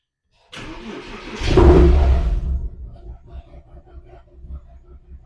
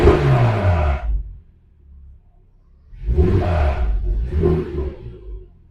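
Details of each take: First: Porsche Cayman S with engine management light and code P0303 (cylinder 3 misfire), quick start: short crank, rev flare, then an uneven, lumpy idle that stumbles as cylinder 3 misfires. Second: Porsche Cayman S after a new ignition coil for a cylinder 3 misfire (P0303), faults cleared: petrol engine blips the throttle three times over a low idle, revving and settling cleanly with no misfire; slight rattle, possibly the exhaust shield.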